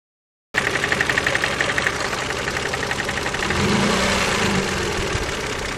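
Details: KF 2.0 engine running: steady rapid ticking-knock about four per second over idle, rising briefly with a blip; sounds like a hydraulic lifter but noise comes from the side, source unclear.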